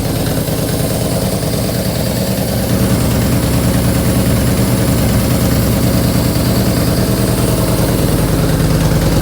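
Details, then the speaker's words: Yamaha Bolt 950 V-twin with newly installed ForceWinder intake: steady loping idle with clear intake air rush over it and even beat; running healthy. "All right, now that we've got everything tightened up, we'll go ahead and kind of start this bike and see what it sounds like with that new intake. You can really hear the air flowing"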